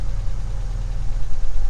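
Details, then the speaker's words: 1982–92 Ford Ranger idling after a new alternator was installed, with the amp gauge showing charge: a steady, smooth idle without the old alternator's roar, so the lifters can now be heard clicking. Normal. "looking good my goodness it's amazing how much quieter it is just the whole engine under the hood is much quieter"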